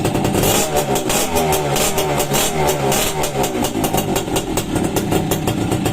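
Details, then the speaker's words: Freshly overhauled Suzuki X4 motorcycle, stock engine, hydraulic clutch, running after reassembly: crisp, even firing through repeated throttle blips, no knocking or misfire; owner notes it is quiet, normal revving. "Hindi naman natin dinig yung makina nito kasi nga stock. Pero tahimik naman siya. Okay na siya mga kamikaniko."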